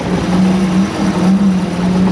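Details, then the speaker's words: Boat sterndrive idling in reverse: loud steady low drone with a wavering hum; owner expects the noise to fade after a while but suspects the gimbal bearing and plans to pull the drive to check it. "reverse that noise will go away after a little while but I need to pull the drive and check that gimbal bearing"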